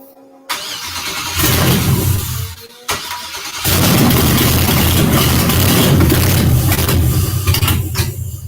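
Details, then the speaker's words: 1963 Pontiac Grand Prix with swapped GM LS engine, first start, fuel pump hanging outside: starter churns in bursts, brief catch then dies; cranks but won't run despite good fuel pressure; owner suspects bad crankshaft position sensor or something missed. "help me out I could get it to run the starting fluid I've got good fuel pressure I've got all my wires hooked up the only thing I can think of is I got a bad uh crankshaft position sensor or I missed something somewhere"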